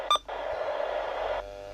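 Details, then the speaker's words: CB/scanner radio just powered up with aerial fitted: short key beep, then a steady rush of static that cuts off sharply as it scans channels fast; working normally. "Look at that flying. That is scanning pretty fast."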